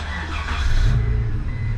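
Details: 1996 Mitsubishi Montero engine start after finding a loose battery terminal that seemed to stop the battery taking a charge, alternator tested good; a low rumble builds as the engine catches and settles into an even run; normal engine start.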